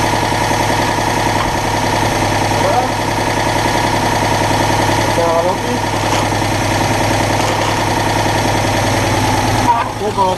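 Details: Citroën Dyane 6 that had been stalling at idle, after carburettor cleaning and refitting a missing screw (owner suspected an air leak at the gasket): steady, even idle with a smooth low pulse and a faint intake hiss. Normal idle, problem fixed.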